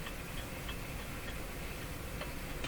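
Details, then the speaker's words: Jewel Model 505 vacuum tube clock-radio, series-string tubes, tuned around 590 with volume full: steady hiss and static with sharp clicks about every third of a second; interference of unknown origin, owner suspects it relates to the band. "I've got the volume of full that's not too good of showing something is something is interfering with something"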